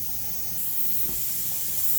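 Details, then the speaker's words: Pressure canner venting steam out the top with the lock in place, about 2 minutes into a 10-minute vent before the weight goes on (20 minutes at 10 pounds): an even, strong hiss that swells slightly and holds. Normal steam venting. "if you can see it we're steaming out the top stir it about two minutes ago so we've got 8 minutes left and then I'll put the weight on all"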